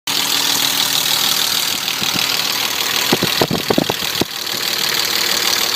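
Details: BMW E34 with M50 engine at idle: steady idle with a loose cluster of sharp knocks breaking through for about a second; engine knock, source not yet pinned down.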